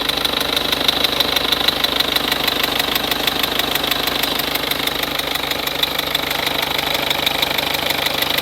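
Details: 2003 Peugeot 206 1.4 HDi 70hp diesel at idle: a crisp, regular tic-tic about three per second over the idle. The cause was confirmed as leaking injector seals, and the noise went away after they were replaced.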